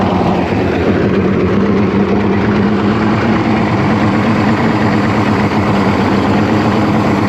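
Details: Outboard after crank-no-fire diagnosis found a bad battery: smooth, even idle with a steady low hum and no misses or knocks; idling healthy.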